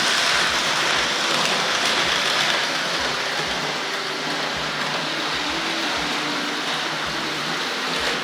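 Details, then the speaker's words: Hornby layout running on an R.950 Master Controller. Fast metallic clicking at about four per second under a steady hiss. The unit's metal wheels and chassis blocks jump and clatter over a particular point. "the metal wheels in this and the chassis blocks tend to jump up and down especially on this point that we really tend to clatter on that one"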